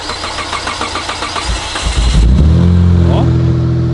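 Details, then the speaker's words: Mitsubishi Galant V6 engine start: the starter cranks in quick even pulses, then the engine catches at once and settles into a smooth, steady idle that still sounds good. The mixture is questioned afterwards, possibly the air mass meter. "Der klingt auch noch wenigstens gut."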